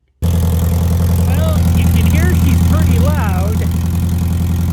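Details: Toyota Previa with headers, idling on a cool evening: loud, deep, raw unmuffled rumble from rust holes in the pipes before the muffler; exhaust leak.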